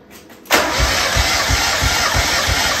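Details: 1994 Mazda Miata NA with the 1.8 L engine, cranked in neutral during a compression test on cylinder one: steady cranking with even pulses about three a second; it reads about 195, pretty good compression.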